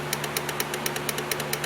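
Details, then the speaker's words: Dodge Neon with no start, no crank, no communication, probing relays with a test light: crisp, evenly spaced clicks, roughly eight a second, over a steady low hum from the relay box; relay pulling in, power getting through. "So what's that tell us? That tells us that we have power going through."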